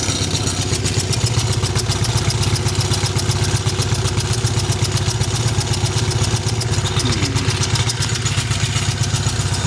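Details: Triumph Bonneville twin, just restarted after owner's own repair and fresh oil: uneven, lumpy idle around four pulses a second, one cylinder not firing cleanly; owner suspects a loose right-side spark plug, not confirmed.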